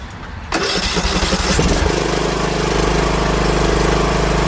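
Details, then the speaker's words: Ariens 20 HP 46" Hydro riding mower (model 936056) that had become very loud, after the muffler was replaced. The engine fires straight up and settles into a smooth, even idle with no exhaust rasp or blowing, quiet and healthy. "Wow, you heard the sound difference? Night and day. This thing sounded so different."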